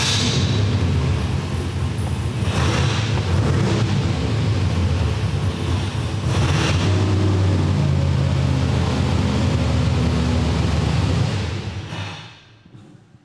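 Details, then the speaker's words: Old-school small block Chevy with mechanical 8-stack injection in a Fiat drag car: loud fast idle with lumpy beat, one bank not firing (its pipes cold) while the other runs; cause traced to throttle linkage setup on that side. "so this side wasn't firing this side was and it was you know it's idle and reasonably well"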